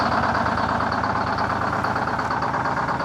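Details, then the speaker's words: 1970 Peterbilt 341 with a blown-up Detroit 6V71 two-stroke diesel, driven 1000 miles home, hard start in 80°F weather. Rough, uneven chug about two beats a second with lumpy firing; not all cylinders pulling, missing badly. "Clearly all that running home did not help it if it starts like that in 80° weather."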